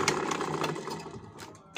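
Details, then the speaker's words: Simaru buttonhole sewing machine that had jammed at the knife bar, after refitting: fast rattling stitch run, then a harsh clack at the knife stop; runs rough, something dragging. "udah mau masuk cuman ini bunyi ketik ke mau stop to juga kasar ya ini di video selanjutnya saya akan kasih tutorial cara mengatasi suaranya kasar"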